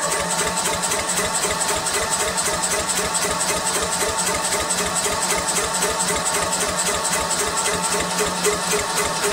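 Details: Murray Select 13.5 lawn tractor, bad valve guide, 30 psi compression, new battery, coil and carburetor, choke on, solenoid jumped; steady cranking about four beats a second never catches after one brief fluke firing; low compression prevents starting.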